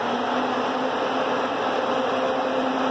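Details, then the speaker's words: Peugeot 308 overheating with no fan control from the ECM and no codes; resistor and coolant temp sensor already replaced. Fan commanded on with a scan tool spins with a steady, even whirr, even at low speed; fan healthy. "you can hear that fan spinning lovely, but the problem still remains, and even at low speed, I try it again, and it works."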